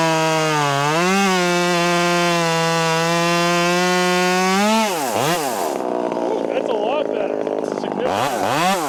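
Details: Ported Husqvarna T540 Mark III top-handle chainsaw on its third tank, not fully broken in, warmed up, chain quickly filed: steady high revs pulling down evenly into the cut and recovering cleanly; running healthy.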